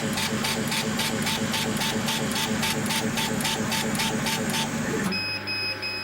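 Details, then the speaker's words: Chinese CO2 laser cutter firing at 13% power with the beam out of focus, below about 14% where the tube stays in pre-ionization: a harsh, uneven crackling hiss pulsing about twice a second instead of a smooth tone. "so hopefully when we run this we shall hear the hissing crackling noise of the beam it won't be a smooth noise"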